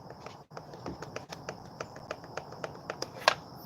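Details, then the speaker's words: Traxxas X-Maxx RC truck motor, shaft turned slowly by hand after hard running: uneven dry clicks, three or four a second; shaft has play and owner suspects blown motor bearings. "why would my motor shaft already be that's that's bad dude that motor shaft is blown the bearings got to be gone"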